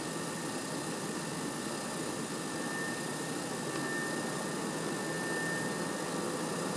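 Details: PS4 CUH-1216A (C-chassis) playing The Witcher 3 digitally, lying horizontal 15 cm from the wall with a peak of about 63 dB: loud steady rushing airflow with a faint thin whistle near 2 kHz as the fan runs hard under load. Cause unknown.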